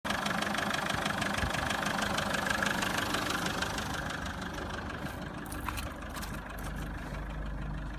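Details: Mazda 6 2.0L diesel engine idling with a steady, regular knock of about three beats a second over the engine noise; engine knocking at idle.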